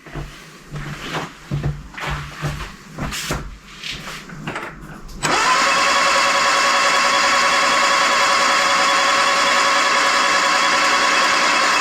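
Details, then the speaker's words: Freshly rebuilt 1311cc A-series engine, first-ever build, cranking before first start until fuel arrives; steady even starter whir, no squeaks, knocks or bangs, oil pressure warning light goes off. Normal cranking. "Okay, we've got fuel and the oil pressure warning light just went off. No squeaks, no bangs. Sounds really smooth."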